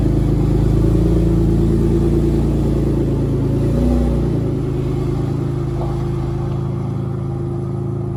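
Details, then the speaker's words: 1994 Dodge Stealth R/T twin turbo (3000GT VR4) running after start-up: a loud, rough, raspy puffing note that settles as the revs drop. There is an exhaust leak, plus an unlocated oil leak. "Also got an exhaust leak. It sounds horrible."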